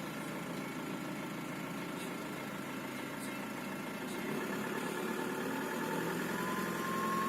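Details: Volkswagen Passat B5 with AVB diesel at idle: a thin, steady high turbo whistle over the low rumble, caused by a broken-off piece of the turbocharger compressor wheel.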